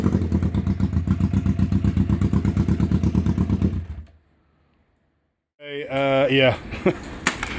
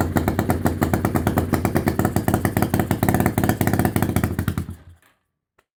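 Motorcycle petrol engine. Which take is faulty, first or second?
second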